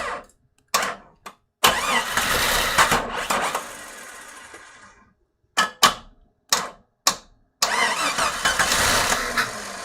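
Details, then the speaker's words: Rebuilt Jeep XJ 4.0 engine on its first start attempt, in park: two spells of steady starter cranking, turns over but never catches or fires; a possible knock was heard; owner suspects fuel not reaching the engine yet. "So for some reason it's not activating though. That could be fuel, still not there."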